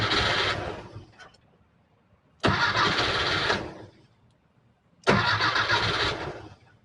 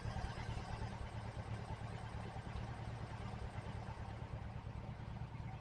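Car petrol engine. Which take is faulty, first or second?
first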